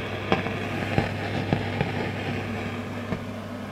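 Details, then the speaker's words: Hartke HA3500 350 W bass amp, powered up and driving a Marshall cab. Irregular sharp pops and crackles over a low hum and a loud fan; a noisy resistor or transistor is suspected, not confirmed. "so um from experience this is either going to be a noisy resistor or a noisy transistor of some sort all in all pretty tricky to discover what's wrong with it"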